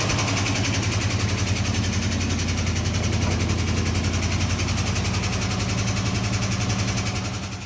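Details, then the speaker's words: 1970 Dodge Charger V8, 4-speed conversion, first startup after sitting, on an electric fuel pump and a jug of gas, carb untouched: steady idle with a light, quick tick from a sticky lifter, no misfires, runs good. "Alright, so as you heard, a little bit of a sticky lifter, but definitely runs good. No misfires, didn't touch the carb or anything."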